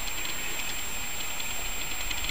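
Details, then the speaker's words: AMD R9 290X reference graphics card under benchmark at 94–95°C, its clock throttled from 1 GHz to 980 MHz, in an open PC case: the blower fan gives a constant heavy air roar with a faint high-pitched whine. "la bench et vous allez voir vraiment cette horrible bruit de Cars sur un PC qui est ouvert"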